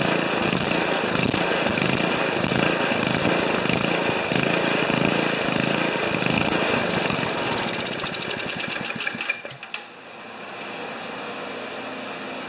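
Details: Old five-horsepower Ariens 2+2 two-stage snowblower engine, low-speed jet set around one and a quarter turns: uneven stumbling pulses about two per second, then dies out; rough running, likely fuel mixture.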